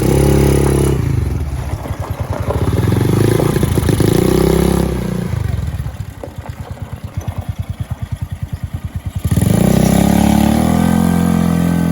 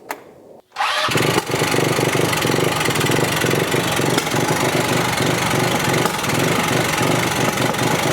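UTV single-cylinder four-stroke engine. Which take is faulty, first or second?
second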